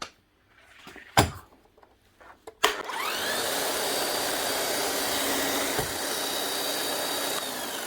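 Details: Bosch GSH11E demolition hammer, 25 years old: motor spins up to a smooth, even whir with no impact blows; motor end sounds fine, hammer not striking, likely dried grease and worn O-rings, needs a service.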